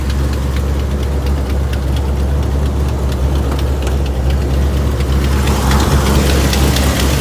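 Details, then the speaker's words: Restored 1984 Chevrolet El Camino SS Choo Choo, small block V8, automatic, side pipes: deep, steady burbling idle with an even lope and no knocks or ticks; healthy idle. "it doesn't need much explanation when it sounds like that right just a really good looking car not only does it look good it sounds good"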